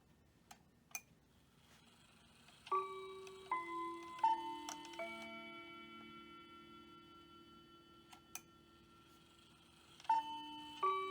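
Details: Hamilton bracket mantel clock from an estate sale; the movement doesn't run but the chimes work. Quarter-past chime is heard as clear, clean bell tones in an even sequence, a normal chime train.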